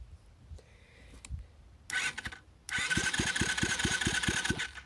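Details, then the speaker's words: Loncin 70cc ATV engine after an $8 rebuild, reinstalled without carb or stator, spun over on the starter motor: strong, evenly spaced compression pulses at a brisk regular rate; good cranking compression. "Okay, sounds like it's making compression. Alright, sounds good."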